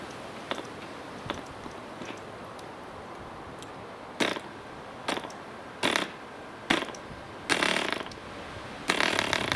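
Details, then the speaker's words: Vintage DC Spitfire 1cc model aero diesel on an 8x4 prop, Model Technics D2000 fuel, hard starting: only isolated sharp pops about once a second, never catching into a steady run; owner suspects compression set too high. "Well, it ran okay in the end. At one point I never thought we were going to get there, but I think I had the compression too high."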